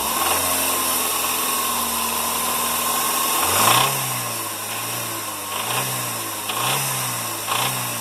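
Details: Audi S3 BAM engine at even idle then repeated quick revs: light metallic rattle riding on the engine, rising and falling with revs; source undetermined.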